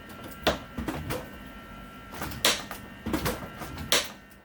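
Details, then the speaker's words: Samsung RFG298HDRS French door refrigerator after a spacer was added to the lower left door hinge bushing: sharp plastic clicks as the door swings; the closer arm pops out of a groove worn into the hinge. "okay I see where the noise is coming from watch this piece right here can see how it pops down creating the click turns out the hinge has worn a Groove into the"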